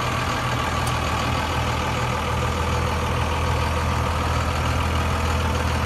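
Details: 2002 Dodge Ram 2500 4x4 with 5.9 Cummins diesel, six-speed manual, 113,320 miles: deep, steady diesel clatter holding an even idle with no misses, knocks or hunting; a healthy engine.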